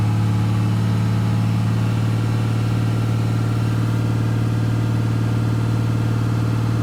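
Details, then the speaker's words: 1997 Dodge Ram 3500 5.9 12-valve Cummins diesel, hard-start complaint, after replacing the lift/transfer pump, fuel pressure now correct: steady, even diesel drone with smooth low beat, no knocks or misses; running healthy. "okay well as you can see there pressure is now where it should be everything's good to go"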